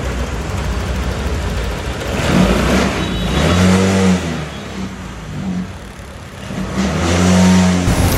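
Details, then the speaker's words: Honda Click 125 scooter after fixing severe "hagok" (stumbling) using trouble-code check: revved gradually, now climbs quickly and smoothly to high RPM without stumbling or bogging; normal smooth revving. "bale dinadahan-dahan ko yung Revolution niya pero hindi na siya humahagok sa High RPM so sa 25 mabilis na siyang umangat dire diretso na yung kanyang RPM"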